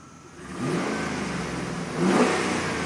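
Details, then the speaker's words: 2009 Chevy Silverado 3500HD at 421,000 miles, after the crank-no-start repair, with the upstream O2 sensors unplugged so it runs open loop; the downstream sensors read 0.9, so it is not lean. Revs up twice and settles smoothly with no roughness, running much smoother. "We're definitely not running lean. as the downstreams are 0.9, but it's running much smoother."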